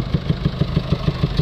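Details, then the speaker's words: Mercedes Vito Euro 6 diesel taxi with DPF/EGR faults, P300A7A low-pressure EGR flow too low even after new part: deep, even huffing pulse at idle like exhaust gas blowing back out the inlet manifold; DPF judged damaged, passing soot. "it sounds like it's it's uh producing exhaust gases coming back out from the inlet manifold get that distinctive sound where you can hear exhaust gas coming outwards of the"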